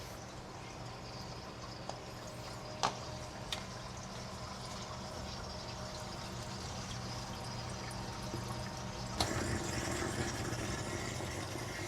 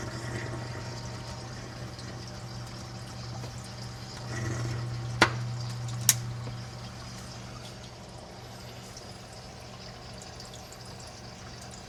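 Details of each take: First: Reef aquarium protein skimmer with silencer tubing removed from air inlet: constant airy hiss with water gurgling, about 58–59 dB versus 52–53 dB with tubing on. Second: Reef aquarium protein skimmer with tubing fitted directly into the inlet: low steady hum with gentle water trickle and bubbling, quiet normal running, about 52–53 dB.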